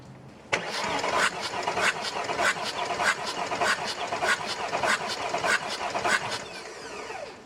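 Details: Audi A8 D2, 2.5 TDI V6 AKE diesel with a rough idle, cranking during a compression gauge test through an adapter. Cylinder 4 read 0 and cylinders 5 and 6 about 20–22 bar; even, strong cranking beats.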